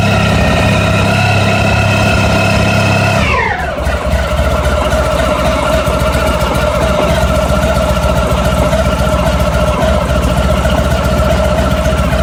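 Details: ST1100 engine dropping back from a throttle blip to a steady idle: an uneven metallic rattle ticks over it about three to four times per second. The source is not pinned down.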